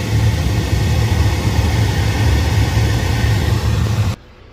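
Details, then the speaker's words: 2014 Ford Fiesta after blower motor replacement, recirculation off and drawing outside air: steady engine and blower rumble with no more ticking or popping from the dash. "Recirc off, sucking outside air. That's how this works. Now no more popping sound."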